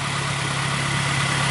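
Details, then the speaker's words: Truck engine first start after reinstalling it, with a larger radiator, no driveshaft or transmission fluid yet: smooth, steady idle settling around 1100 rpm, which seems too high; no leaks found. "Let's see what the idle is settling at now. It's still around 1100, so I'm gonna have to look that up, see what the idle actually is supposed to be."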